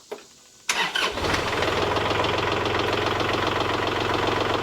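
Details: Kubota L3901 diesel tractor with LA525 loader, started after replacing failed pump-to-loader-manifold hydraulic hose and refilling 1 gallon fluid: quick crank, catches at once, settles to even steady diesel idle, no misses or knocks; healthy start.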